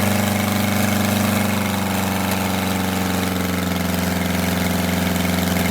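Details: Detroit Diesel 8V92TA in a Wanderlodge RV idling after a failed injector was replaced: big diesel at an uneven lope, its pulsing beat wavering instead of holding steady; a rough-idle misfire later traced to scored, cracked liners.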